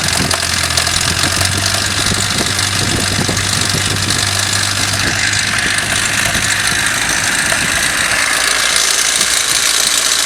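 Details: Toyota 5A-FE engine at idle: light, quick knocking from the front of the engine over the hiss, caused by play in the crankshaft gear key behind the pulley.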